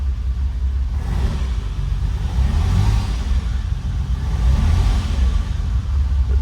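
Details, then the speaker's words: Ferrari first start after sitting, new plugs and penetrating oil, fuel pump switched on first: deep steady rumble with a lumpy, uneven pulse, sounds half decent; some smoke seen, possibly off the manifold; normal running after first start. "actually that sounds half decent"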